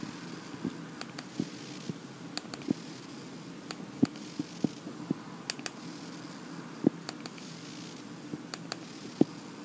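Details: iPhone 6S headphone output into sensitive low-impedance earphones: faint low electrical buzz with scattered clicks and ticks, worse with on-screen animations; airplane mode reduces but doesn't eliminate it; reproduced on all 6S/6S Plus units tried.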